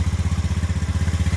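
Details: Old Honda Scoopy scooter, 14-inch wheels, that was totally dead (no fuel pump hum, no ignition, sub-ECU 5A fuse kept blowing) after replacing the part, burnt body wire shorting to ground found: regular low putt-putt about fourteen beats a second, idling normally.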